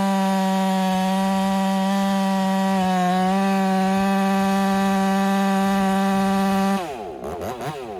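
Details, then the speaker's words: Ported Husqvarna 385 chainsaw during break-in, tune left slightly rich with a little top-end burble, cutting very hard oak: clean high steady scream through the cut without bogging, dropping off at throttle release; normal running under load. "And right now it's cutting smooth, super smooth. It's like butter."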